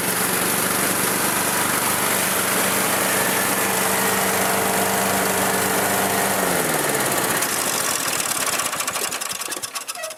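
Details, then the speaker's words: Old Murray riding mower, single-cylinder, restored after engine wouldn't run right, mowing: loud steady drone with even firing, load dipping then easing near end; runs smoothly after repair. "Eureka! It works. My free mower that I'm into for about $100 works great."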